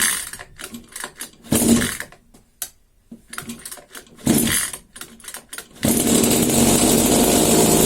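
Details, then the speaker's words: New Rovan 36cc double-ring two-stroke Baja engine on a test stand for run-in, with a box exhaust and no air filter yet: pull-start bursts and coughs, then it catches into a steady high buzz. Starts easily. Normal start and run. "Okay, easy peasy, starts very easy."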